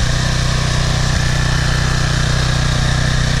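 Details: PowerFlow+ pressure washer, Briggs & Stratton 190cc, running after carburetor cleaning of clogged bowl-screw jet and dried gas after over a year unused: steady even putter at constant speed, no surging or missing; healthy.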